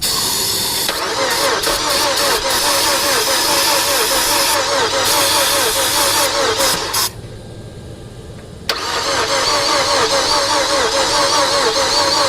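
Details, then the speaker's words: 2007 Mazda 6 project car cranking: steady starter rhythm about two and a half beats a second, never fires, pauses once then cranks again; crank-no-start before spark and compression checks, cause not yet confirmed. "so now i'm gonna go ahead and see if i got fire and while i'm there obviously i'll be able to do a compression check"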